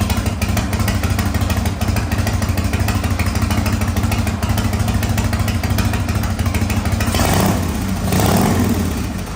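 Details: 1985 Harley-Davidson FXRS Evo, sat five years, on a replacement carburetor with oil-mixed fuel and heavy smoke from built-up deposits: deep, lumpy V-twin loping steadily, picking up briefly near the end; no mechanical knocking.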